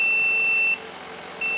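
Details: DIY TIG welder water cooler with a diaphragm pump, accumulator bottle and flow sensor: a steady high-pitched beep cuts out for about two-thirds of a second, then returns, the flow alarm warning of low or no coolant flow.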